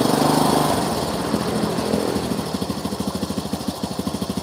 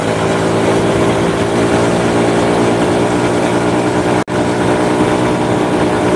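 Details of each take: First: Honda Supra motorcycle after engine rebuild, spark plug found not tightened: uneven, loose popping beats at idle; rough running from a flooding carburettor. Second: Honda Supra motorcycle shipped in by cargo in a box, after workshop overhaul of a badly damaged engine; steady even running with smooth continuous note, no knocks or rattles: normal running.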